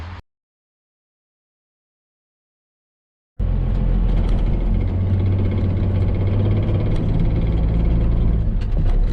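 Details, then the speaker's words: 1995 Dodge Ram 2500, 12-valve Cummins turbo diesel, NV4500 5-speed manual, 240,000 miles: heavy diesel drone with dense gear rattle, gone with clutch in; destroyed input shaft teeth and cluster gear, transmission rebuilt with new clutch. "So the noise that we were hearing was basically just all the teeth rattling around on each other."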